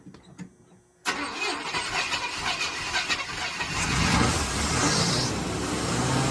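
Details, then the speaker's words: 1987 Chevy K5 Blazer 350 TBI, long-sitting, first start after complete new fuel system: silence, then the engine catches hard and keeps running strongly under hand throttle; normal start and run. "So, we finally finally got the old girl to fire up and stay running is on its own"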